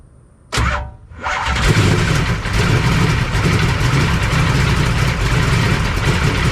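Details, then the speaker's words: 1991 Michael Waltrip Pennzoil Pontiac Grand Prix NASCAR road-course V8, cold start: starter crank, then it catches and runs loud and lumpy with an uneven beat, kept alive on throttle. It usually idles poorly until warm; rough cold idle. "Now, I will say that it does not usually like to idle too well when it's still cold, so we'll just play with it for a little bit and let it warm up, and then hopefully we can get it idling and see what she sounds like."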